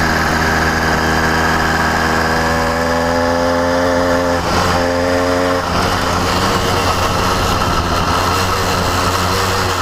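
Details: New CDH110 (true 85cc) 52mm iron-sleeve two-stroke motorized bicycle engine: buzzy note holds steady then wavers and sags before picking back up; surging and acting lean, sounds like an air leak but owner finds none.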